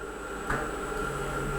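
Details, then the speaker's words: Newly installed wall-mounted gas tankless water heater with stainless steel heat exchanger, first fire-up at low water flow: a light ignition click, then a soft steady burner rumble and fan hum. Normal low-fire operation. "What this will do is it will fire very low, and as flow increases, you can hear it getting louder as more and more burners light. So if it's only a very little bit of flow, it will only fire at low rate."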